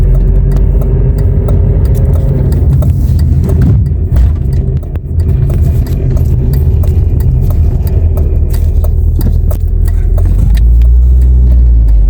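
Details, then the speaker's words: Nissan Primera P11 before gearbox repair, stationary in gear with engine running: irregular metallic rattle about three per second when throttle applied, stops in neutral; owner suspects clutch release bearing, gearbox bearing noise. "gaza basınca şırıltılı bir ses sadece debre bastım viteste bakın Yine ses şıkır şıkır şıkır"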